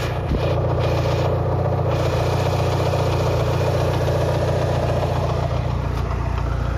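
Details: Mitsubishi Lancer Evolution VI 4G63T after a track day, warming up at 75–80°C oil temp: quick regular top-end tapping at 3–4/s, loudest near cylinder 1, silent cold and quieter fully warm. Lash adjusters cleaned and bled without improvement; rod knock or lifters unknown.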